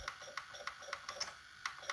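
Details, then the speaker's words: Sharp VC-MH78 VCR, after head drum cleaning and tape guide adjustment, in frame-by-frame pause: crisp, evenly spaced light clicks about three or four per second with no grinding or slipping, advancing normally. "Oui, je peux faire pause image par image. Regardez ça. Ah, c'est vraiment top."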